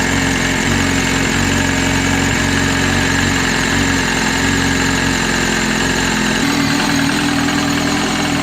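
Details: Freshly rebuilt 2003 Yamaha R1 with Rotrex supercharger, 1080 big bore kit, forged pistons, steel H-beam rods, gas-flowed head, raised fuel injectors, idling out of gear: steady even idle, low hum with faint supercharger whine; sounds healthy.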